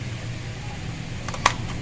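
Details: Coca-Cola display cooler running after the faulty defrost sensor/thermostat on the evaporator fan motor was replaced, fixing the PF1 error. Temperature now displays. Quiet steady hum with a few light clicks, no rattle; the earlier noise is gone.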